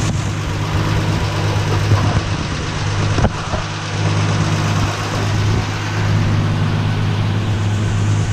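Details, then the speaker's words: Valiant slant six, cold start after seven months sitting, in neutral: low idle stumbling now and then, one cylinder sputtering; owner suspects a tight valve needing adjustment or a burning valve, unconfirmed. "I'll let you in on a secret this car either needs a valve adjustment or something else is going on with it with the cylinder balance on it"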